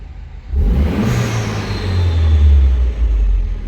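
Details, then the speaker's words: Citroen DS3 with newly fitted performance induction kit, still warming after cold start: deep intake roar swells with revs and settles smoothly, no stumble; no longer juddering now the MAP sensor is refitted the right way round; normal induction noise. "it's not juttering like it was so we now got the map sensor on the right way it was a little bit jumpy on the cold start but it didn't sound too bad"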